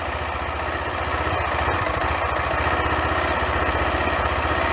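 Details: Bike named Gina, a newly acquired machine planned for modification: steady, even idle with a quick regular beat, about three firings a second, no stumbling. Owner says the engine runs perfectly with no faults; normal idle.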